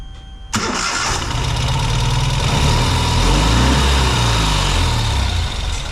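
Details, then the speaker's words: Ural sidecar motorcycle after replacing the fuel pump (old pump gave 1.7 bar, needs at least 3) and the wiring harness, previously running intermittently on one cylinder; no fuel filter fitted: starts instantly, settles to a steady, even, smooth low idle with no misfire. "Maintenant il faut aller rouler puis essayer mais je suis content parce que là ça démarre au quart de tour et le son est vraiment différent."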